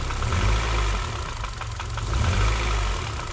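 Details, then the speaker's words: Honda Civic with K20 swap, engine previously run with bad rod bearings, at idle: uneven knocking about three a second, seemingly mid-block rather than low; rattle is the bumper; rod bearings or piston slap suspected, unconfirmed. "so that rattling is actually the bumper so you can hear the knocking hear it there on d-cell"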